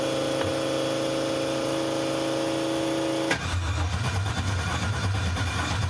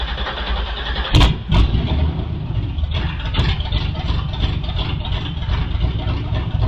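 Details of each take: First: Newly built 6.2L L86 Gen V LT V8 with Holley Terminator X EFI, first start attempt: long steady starter whine then low churning rumble, never fires; data logs show no crank signal or RPM, crank sensor to be replaced. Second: Newly built 6.2L L86 Gen V LT V8, Holley Terminator X EFI, BTR 225 cam, first start with coolant, open headers, no O2 sensor: deep loud rumble fires up and settles into even idle, no misses or knocks; healthy.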